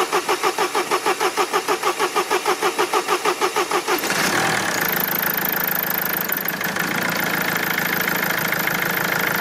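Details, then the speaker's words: Mercedes diesel after replacing the injection rail pressure regulation valve: steady starter churn at about three beats a second for four seconds, then it catches and runs; long crank because air was in the fuel circuit. "Il y avait de l'air dans le circuit."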